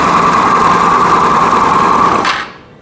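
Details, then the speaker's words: Italika WS-150 motorcycle that would not start, oil at level: once running it makes a fast harsh rattle with a steady high whine at constant revs, then dies; crankshaft main bearing noise. "entonces tenemos situación de que se arranca pero sigue sumando horrible"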